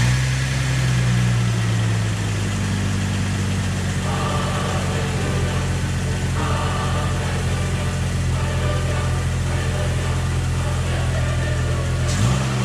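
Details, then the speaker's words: Jeep 4.0 inline-six running after cheap overhaul and reinstall, oil pressure built, exhaust just hooked up, antifreeze not yet added: steady low hum with brief rev blip near end, no knocking or ticking; runs evenly. "still gotta put antifreeze in it get to get that stuff hooked up let's fire it up and see how it runs"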